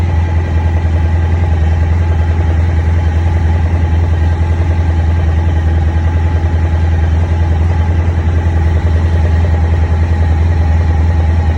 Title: 2001 ST1100 Right Side Engine Knock